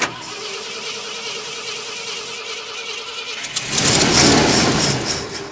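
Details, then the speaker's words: 1972 Ford F250, 66k miles, parked since 2007, with rebuilt carburetor, new fuel pump and inline filter, switching fuel tanks: steady cranking, then a short rough burst of firing that dies; no start, cause not confirmed. "start all right go ahead it's definitely doing something at least this time go ahead good good"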